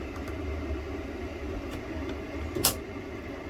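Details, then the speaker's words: RV propane furnace shutdown: one soft thump as the flame cuts out, then the blower keeps a steady low hum for a built-in cool-down, running 30 seconds to a minute before shutting off; normal. "the furnace has shut off essentially what's on right now is just the blower and what this does is it allows it to cool the unit down before the fan will actually shut off"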